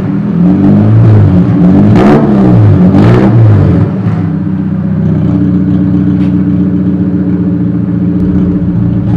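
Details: Chevrolet Cobalt SS/SC with the exhaust come loose, effectively a straight pipe: loud, raw engine note through throttle blips from the exhaust leak.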